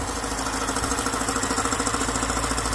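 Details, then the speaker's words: BMW E63/E64 6 Series N62 V8 at idle with the oil filler cap removed: a fast, even rattle of about fourteen beats a second over the idle; vacuum pump racket caused by a crankcase air leak. "now if you hear a dropping noise from the vacuum pump that's usually an air leak so if i remove the filler cap there you go hear that"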